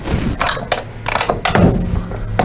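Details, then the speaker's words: GYS PTI spot welder, arm lock set too loose: irregular sharp metal clunks, a few per second, as the arm swings and hits the pin. The fix is adjusting the knurled nut (4mm Allen lock screw) until the arm locks at about the 2 o'clock position. "I'm hitting the pin. I'm loose. You can hear it hit."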